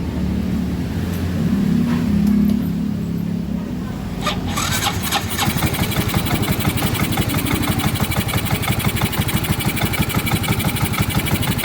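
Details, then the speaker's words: Yamaha Mio M3 scooter after replacing a stripped manifold bolt: now idles but unevenly with a rough, lumpy engine sound; needs an idle reset. "Tapi ini langsamnya tidak beraturan, tapi mesin juga kasar kedengarannya."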